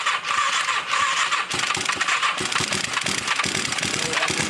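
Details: 1981 Suzuki GS450, long-sitting, with compression and spark, carbs cleaned earlier but maybe needing it again: starter churns with ragged pops and bangs but engine never catches and runs; crank no start.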